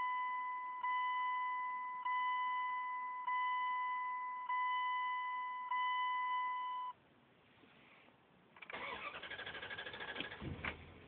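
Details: Truck cranks for a couple of seconds after a repeating steady chime, starter turning in an even rhythm, but the engine never catches; crank, no start.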